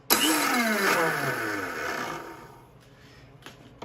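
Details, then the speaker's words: Ariens SS522e 5 hp single-stage snowblower, stored about 20 years, electric starter: high whir winds down over two seconds, engine never catches, starter spins without engaging; owner suspects stripped teeth inside the starter gear. "was weird it was like it didn't even grab cuz that's engaged don't do this at home I'm just giving a little pressure no look like it slides right off huh oh I think the teeth are stripped on the inside of this gear"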